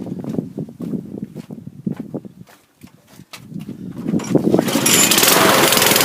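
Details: Mountfield lawn mower running after carb cleaner spray: ragged, stumbling chuffs that never settle, then a rough rising roar; misfiring and running uneven, owner suspects a dirty carburettor, possibly a partly blocked jet, not confirmed.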